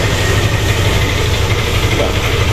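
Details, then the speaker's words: Yamaha Lexi scooter that had error code 12, would not start and starter did not work, first start after the red wire and socket were repaired: steady, even low putter at idle with no misfire; error code still showing, reset pending. "Oke, coba kita tombol ya, tombol starter. Oke, untuk si motor dia sudah mau hidup."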